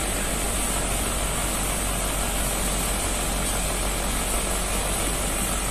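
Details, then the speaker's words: Old Panasonic 1.5 PK split AC, R22, outdoor compressor: steady, coarse snoring drone as if working hard, drawing 6.9 A against 5 A nameplate; early sign of compressor damage, low oil suspected. "You can say this is an early symptom of the compressor being damaged, yes, with a sound like snoring. or a rough sound compressor like this, like the compressor is working hard, yes"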